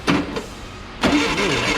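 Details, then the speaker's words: VW 1641cc engine for an oval Beetle, first start on a bench stand with the timing possibly just stabbed in and no starter fluid: a short crank burst, a pause, then brisk cranking catches into a run. Normal cranking and start. "well she's a runner uh she stinks she's noisy she's an idol and uh it doesn't idle so that's uh it's about perfect success"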